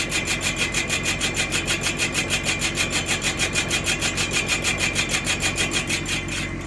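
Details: Nissan Patrol rear drum brake: harsh rhythmic grinding rasp, about three pulses a second, steady with wheel rotation, scraping inside the drum.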